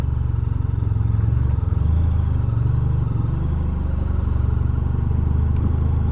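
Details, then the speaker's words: 2020 Honda VFR1200X at walking pace on a gravel road: smooth low engine pulse, no clunks or bangs from the driveline; shaft drive no longer knocking and banging as it previously did, running quiet. "I hope you can hear the shaft is not knocking and banging like previously it would have done not doing high speeds obviously we're just doing walking pace really"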